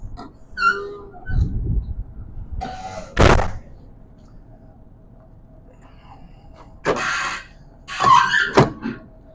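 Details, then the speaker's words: 2014 MCI J4500 coach baggage doors swinging: door thumps come with short, high squeaky chirps from dry gas struts that still hold at every angle; they just need lubricant such as WD40. "think we need to put some lubricant on these shocks as we do hear them squealing but as you see they're not failing"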